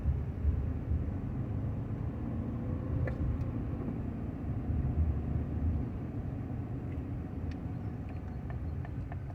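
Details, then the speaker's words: 1995 Honda Accord with about 339,000 miles, coasting downhill off throttle: a steady low growl under the cabin, believed to come from the front, with a faint higher whine, no vibration; no noise under throttle going back up the hill. "okay so now when we go back up the hill there's no growling noise and everything sounds great"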